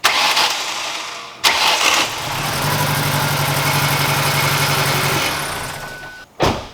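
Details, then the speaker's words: SVT car engine after timing was reset several times, firing out of the exhaust: catches after cranking and runs uneven and lumpy like a dead cylinder; misfire later traced to a spark plug wire not making contact. "I really don't get what it's doing it's acting like it's got a dead hole"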